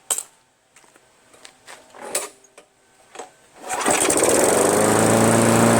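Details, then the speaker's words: Craftsman push mower, Briggs 158cc, after cleaning carburetor and stretching/bending the fabricated governor spring: after some clanking it fires and settles into a steady, even hum around 3000 rpm; running right. "that's pretty good there we go that's okay those rpms are running around the 3000 area"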